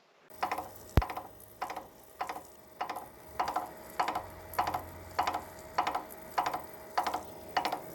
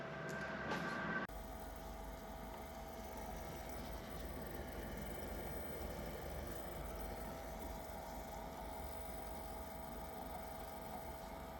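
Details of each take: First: Mini lathe only 9 days old, running: sharp, regular clicks about 1.7 times a second over a steady motor hum, getting louder during turning, from a failing jack-shaft bearing; replacement parts arrived days later. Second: Benchtop mini lathe, nine days old, after replacing a failed clicking jackshaft bearing and refitting the gears: quiet, steady motor hum with an even whine and no click-clack; running normally.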